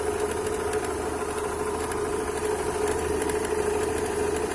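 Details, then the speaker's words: Opel Astra G 1.6 at cold idle after an oil change to 5W40: light, irregular metallic tapping about twice a second from the lower left/timing-belt side, persists with accessory belt removed; owner suspects water pump impeller or a bearing. "вот такой вот дебильный стук со стороны ремня грм такое ощущение что кусок металла или болт где-то барахты"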